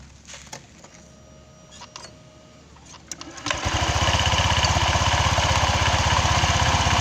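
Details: Honda Vario 125 scooter that died suddenly on the road from a bolt that came loose inside: after refitting and tightening it, a few clicks, then the engine catches and settles to a steady four-beat-per-second idle. Normal idle.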